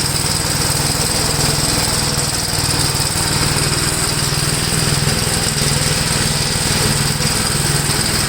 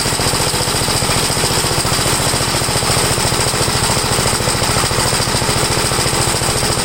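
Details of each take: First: 1962 Gravely L/LI walk-behind tractor, single-cylinder, mowing a field after valve adjustment and carburetor tuning: pulls steadily under load with even firing and a light buzz on top; runs acceptably, valve adjustment improved running. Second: Single-cylinder engine of a 1962 Gravely L1, after a valve adjustment and with compression reading 45, warmed up. A fast, loud chatter holds at a steady high speed without surging or misses, before the high-side carburetor mixture is adjusted.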